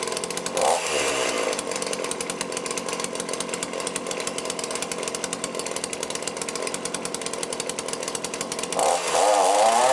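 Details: Cheap lockdown chainsaw with Walbro carb, after carb rebuild kit service, warming up for fine high/low screw adjustment: crisp, even two-stroke buzz holding steady revs with clean pulses, no stumbling; starts easily and cuts well.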